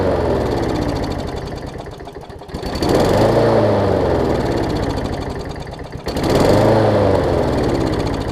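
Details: John Deere JA62 push mower, about 15 years old, Briggs OHV engine, just after carb clean for gummed carb from sitting: speed swells and sags roughly every three to four seconds instead of holding steady; clear surge.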